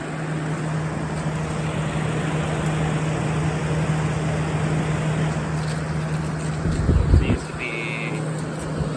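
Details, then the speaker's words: Curb-found General Electric Thinline window air conditioner, owner thinks 1960–63 open-fan model, 12 amp unit, first start-up with fan only: smooth, even low fan hum, no rubbing or rattling; fan runs normally. "Working just fine. At least the fan, that's just the fan, so we're gonna shut it off."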